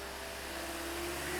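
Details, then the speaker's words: 2010 Toyota Corolla after radiator and coolant connector pipe replacement, coolant at 150°, throttle stick raising RPM to speed warm-up: steady even hum, tone creeping slightly upward as revs are held; smooth raised idle, nothing abnormal. "And I'm going to put a throttle stick on this to increase my RPM to hopefully get this to warm up a little quicker."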